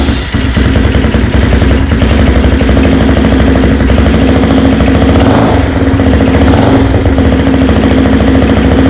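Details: Honda 400EX first start after a top-end rebuild, with the valves adjusted and a blown 15 A starter fuse replaced, before the heat cycle. Quick, even single-cylinder thump idles cleanly with no knocks or misses.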